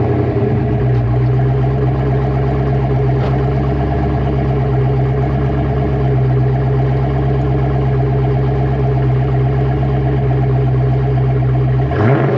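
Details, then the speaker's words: 1988 Ford Mustang GT with 306 small-block V8, B303 cam, Cobra intake, emissions deleted, underdrive pulleys, fresh oil change, at idle: deep, steady lumpy idle, even firing with a short blip near the end; sounds healthy. "So, with that said, let's fire this car up and you guys can hear how the 306 sounds with this motor and exhaust setup."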